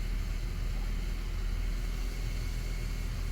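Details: 2008 Ford FG Falcon straight-six, about 324,000 km, idling after oil and filter service, no oil light; steady even low rumble without knocks or misses; normal idle.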